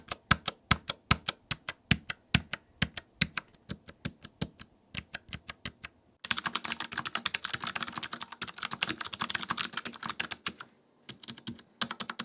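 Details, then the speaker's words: Typing on a Logitech MX Mechanical keyboard with Clicky Blue switches: sharp, high, crisp clicks on every keystroke, a few per second then rapid bursts. This is the loudest, highest-pitched switch, the classic mechanical sound, with a tactile bump and bottom-out. Normal. "With the Clicky Blue switches, you get a tactile feel and you can feel the bump as the key goes down and you feel it when it bottoms out. These also have the loudest, most highest pitch clicking sound, and they're kind of the classic mechanical keyboard sound."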